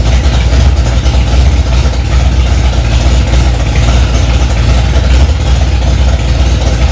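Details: Freshly rebuilt Ford 289 small-block V8 in a 1965 Mustang "Hack Job", first start after months of work, cold engine: loud deep steady fast idle, even beat, no knocking or ticking; normal fast idle.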